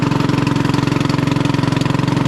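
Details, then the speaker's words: 1996 Craftsman LT1000 Turbo Cool lawn tractor, restarted after fouled flooded plug: steady single-cylinder idle with harsh raspy bark each firing pulse, far too loud; muffler cracked in two, not head gasket, replaced later. "this thing is so loud it sounds like it doesn't have a muffler but it does"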